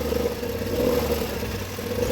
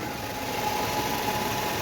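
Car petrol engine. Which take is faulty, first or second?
first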